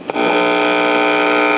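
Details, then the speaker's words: Voice Of Music (VM) model 270AV 1975 solid-state classroom record player with IC amplifier: touching the amp input gives a sudden loud steady buzz with rich hum, so the amp works and the fault lies before it; tonearm wires found broken. "we get a buzz. So, that tells us that our trouble is somewhere between the cartridge holder and right here."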